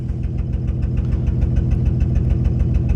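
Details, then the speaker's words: 2004 Honda Pilot at idle with engine codes including O2 sensor: low idle with a regular thumping stumble about twice a second; misfire suspected, probably plugs and coils, not confirmed. "and that's for the O2 sensor, and it sounds like it's got a misfire."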